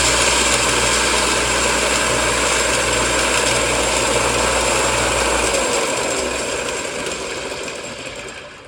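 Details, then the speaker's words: Belt sander after freeing up its bearings and refitting the belt: steady even hum and smooth belt whir, no squeal or rumble, winding down; much quieter than before. "That is a lot quieter. I don't know if you can tell on camera. But that's a lot quieter."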